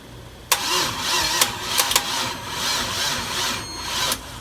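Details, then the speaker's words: LS1-swapped Dodge Stealth on its first start attempt, being jumped: a high, steady squeal over the cranking and start, with sharp clicks; the owner wonders if it is the starter; squeak while cranking, cause unconfirmed. "the hell is that squeak? Is that the starter just"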